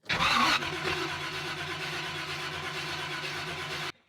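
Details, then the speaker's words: 1970 Chevy Camaro SS 350 V8, long-sitting and being revived: about three seconds of cranking that cuts off without catching, no start; accelerator pump squirt doubted, owner suspects possibly no spark or unhooked distributor. "I don't know if the squirter is working. Well, maybe. Maybe it's no spark."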